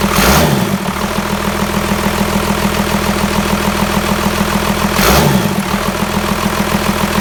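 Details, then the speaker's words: Old Dodge Cummins diesel just after a mechanical fuel pump swap: catches with a rough, uneven beat, as if on only 2 to 3 cylinders, then settles into a steadier idle as air in the fuel system bleeds out. "But what you might have noticed is how it was running real rough right off the bat. That's because I wasn't too sure. It seemed like it was only running on 2 to 3 cylinders. And then it caught up, so there was a bit of air in the system, but eventually everything got bled out."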